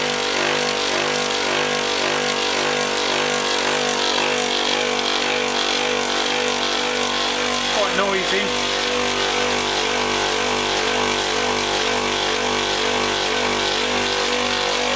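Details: Copeland ZB42KCE scroll compressor on a condensing unit, warmed up after restart: loud constant hum with rough gritty rattle, noisier than it should be; earlier not pumping, noise later changed and it seemed to stop pumping again.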